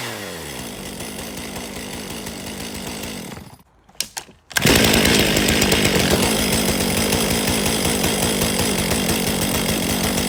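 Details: 2023 Stihl MS500i 79cc fuel-injected chainsaw, after a new NGK CMR6H plug: a brief sputter clears into a strong, steady two-stroke howl. It was pretty flooded and now runs cleanly.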